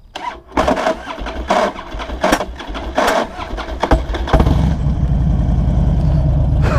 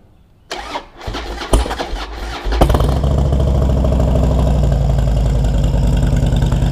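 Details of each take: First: Harley-Davidson Dyna FXD V-twin at startup after the in-gear rock-and-neutral workaround; harsh, uneven cranking snags come in lurches before the engine catches and idles. Primary-side starter kickback; the workaround didn't stop it. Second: 2008 Harley-Davidson Dyna FXD V-twin, first start of the day; starter cranks briefly, then the engine catches and settles into a loping, even idle with no clunk from the primary; a clean start without the usual loud noise.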